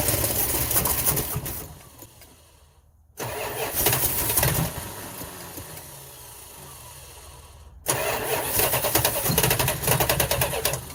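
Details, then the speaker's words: 1971 Chrysler 300 440 donor engine, new plugs and wires: starter churns, engine catches with a short bark, dies, then cranks again; fires briefly but won't keep running. Owner suspects possible hydrolock (water in a cylinder) or fuel not reaching the carburetor. "I think we're going to call this it started we heard it Rumble we heard it bark and fire up"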